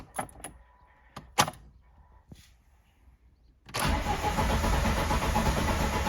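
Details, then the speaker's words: 1.5-litre VAZ 2109 that stopped starting: spark present; rail pressure was absent until the regulator module was replaced. The ECU signals the injectors and fuel pump relay but logs crank sensor error 0336. Clicks, then steady cranking about three pulses a second, no firing; cranks but won't start. "бачимо Нічого в нас воно даже не хватає зовсім ніяк"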